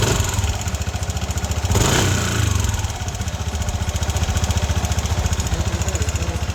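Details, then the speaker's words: Yamaha NMAX V1 scooter idling before repair: a loose metallic rattle rides over the beat about three or four times a second. Another mechanic called it normal, but it was a worn exhaust-side rocker arm. "So, yung kalansing nito, yung alog. Alam, bato ng lighter."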